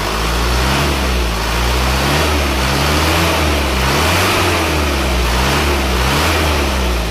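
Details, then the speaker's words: Isuzu Panther diesel after repair of a badly worn cylinder 4 liner (turned over) and new piston rings, fixing heavy dipstick blow-by, at 71°C: soft even beat with a smooth light rev and no knocking; no more smoke from the dipstick. "empuk ya tidak shalat tidak ada suara kerang-kerang"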